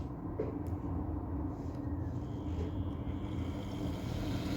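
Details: Brushed (carbon-brush) 8-pin motor run slowly on a dimmer while its tachometer output is measured: quiet, even low hum with a faint steady tone and no knocks or scraping. Normal low-speed running.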